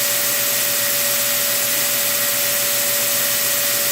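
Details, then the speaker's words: Prototype 2x72 belt grinder at full power during a vibration test, nickel on edge unmoved; smooth constant whine with steady belt hiss, no thumping or speed wobble, normal running. "This is my vibration test. This is to see whether or not the tool is built well."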